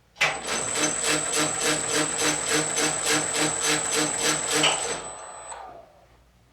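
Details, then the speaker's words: 100-year-old Rivett lathe headstock, new spindle gear, tumbler in longitudinal power feed position, under power: steady whir with high whistle and rhythmic pulse about three per second from a tight spot on the new gear; gear mesh noise. "spot where it's a little bit tight you can kind of hear it so what it sounds like under power"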